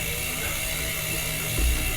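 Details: Litespeed Flint titanium gravel bike with GRX groupset, wheel freewheeling: fast, even, crisp freehub ratchet clicking with no skips or grinding; healthy hub.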